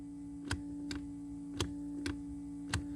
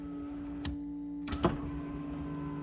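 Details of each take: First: 1991 Camaro passenger power window: pressing the button gives single sharp clicks about once a second over a steady electrical hum, no motor spin, window doesn't move; voltmeter doesn't drop; owner suspects the window motor, voltage not yet checked. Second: 1991 Camaro power window test while troubleshooting a dead passenger window: steady window motor hum with a few clunks as the glass moves and stops; this window motor works normally.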